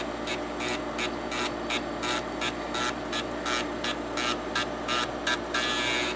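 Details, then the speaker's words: TEAC FD-505 combo drive, 3.5-inch drive, head-clean command oscillating head three cycles: rhythmic ticking about 85 a minute; moves normally with slight noise. "And we're both listening and watching for any abnormalities that might be happening with the head moving. So it looks like the head is moving okay."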